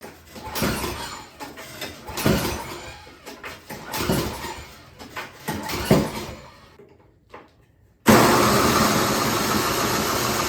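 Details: Yard King snowblower that ran once, then would not restart (fuel present, valve on): uneven bursts of cranking, then steady spinning that never catches and runs. Cranks but won't start; the carburetor was found mistuned.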